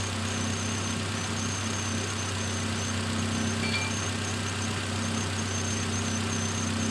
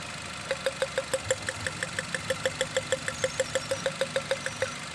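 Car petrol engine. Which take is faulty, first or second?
second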